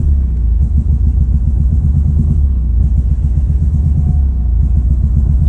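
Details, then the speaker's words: Ford Focus ST, hot engine, running badly right after pulling into driveway; low uneven lumpy idle with no steady rhythm; owner hoped for fouled plugs, code later read: throttle actuator control system stuck open. Rough running. "That's crazy, bro. That's wild. As soon as I pull in the driveway, this thing takes a shit."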